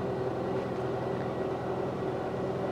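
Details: Rover 216 convertible with engine idling, raising the hood frame without an outer hood: even steady electric hum over quiet idle, no grinding or straining; the roof drive runs smoothly.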